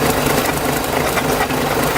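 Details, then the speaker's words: 1995 automatic DSM AWD with a previously locked transfer case, now freed: faint, irregular light knocks through the idle from a loose, backed-out transmission mount bolt with the nut barely on; needs tightening. "But I just now found a loose transmission bolt. So I gotta fix that."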